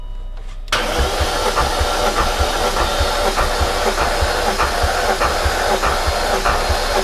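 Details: High-mileage supercharged S62 V8 BMW E39 M5, cylinder 1 retested with extra battery, reading 160 psi (was 135): labored, uneven cranking about 1.5 beats per second with no firing; slow cranking, cause suspected, not confirmed.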